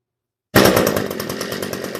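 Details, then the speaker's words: DIY bicycle with a weed-eater two-stroke engine, first start in years on old fuel after priming and choke: fires instantly and settles into a steady, even, buzzing run without stumbling; runs well. "It runs so good."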